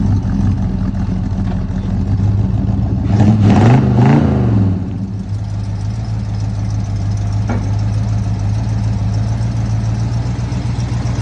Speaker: That sounds so good. Gonna get her looking as good as she sounds.